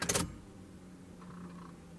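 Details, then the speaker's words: 1993 Chevrolet C1500 Silverado with a swapped Corvette LT1 engine, key cycled to build fuel pressure before cranking: a click, then a faint, steady low hum for about two seconds with the engine off. Normal fuel pump priming. "I hear the Fel pump running me do it one more time"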